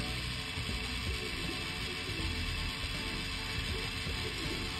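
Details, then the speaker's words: HP laptop cooling fan, which looks wobbly: it spins up loud and fast with a dry, ratchety buzz and rattle, a worn fan that needs replacing. "you can hear it it's going really fast it don't supposed to sound like this so we should replace it ASAP"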